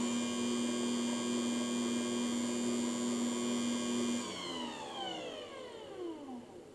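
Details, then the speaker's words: Cheap Joydeem dough mixer on mix setting running empty with no dough: steady mid-pitched motor hum for about four seconds, then the pitch slides smoothly down as it coasts to a stop; normal no-load running. "I'll turn it on with nothing in it, and we'll take a look at the power that it uses just to run without any dough."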